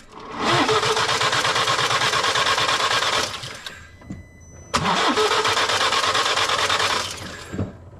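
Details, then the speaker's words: BMW N47 diesel that no longer starts, cranked: two long bursts spinning freely at an even pace but never catching, sounds odd, not seized, no clatter; suspected broken timing chain. "Bon, on entend ça tourne, mais ça tourne bizarre. Mais ça tourne quand même normalement encore. Je dirais le moteur il n'est pas bloqué, il n'y a pas de claquement ou autre."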